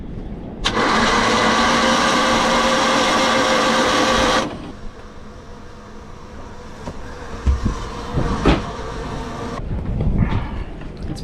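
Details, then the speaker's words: Boat generator, unused for about a year while broken, just fitted with a replacement part: a steady cranking drone for about four seconds with no firing. It cranks but won't start and seems fuel-starved; the cause is not yet diagnosed. "But the generator is not starting now. It doesn't it's not getting fuel."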